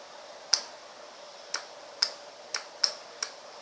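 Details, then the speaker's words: Relay used as a buffer gate driving an LED load: six sharp, dry clicks as the push button energises the coil and the contact pulls to terminal five and releases. The relay is working normally. "pushing the button current flows to the coil inducing a voltage in producing a magnetic field attracting the canta to move to the terminal five making this a closed circuit"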